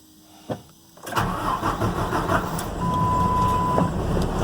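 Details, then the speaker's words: 2007 Ford F750 with 5.9 Cummins diesel, six-speed manual, check engine light: cranks, fires and rough idles with irregular knocking lope; scanner flagged number four injector, replaced. "this one has a check engine light and has a rough idle"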